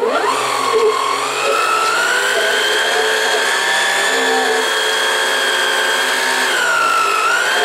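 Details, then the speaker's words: 1990s Kenmore sewing machine: motor whine rises and sags as control turns but nothing engages; owner suspects gearbox fried itself, sometimes grabs when reverse is pressed. "but now as you can see nothing is happening you hear a bit of a motor difference the sound when you turn this listen to it"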